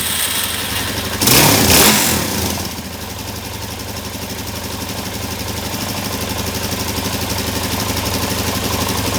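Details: 2017 Suzuki DR-Z400, fuel screw three turns out, fouled CR8E plug replaced: sharp harsh burst on throttle snap, then lumpy idle with faint rattle; knocking under snap throttle, owner suspects jets and plans new OEM jets.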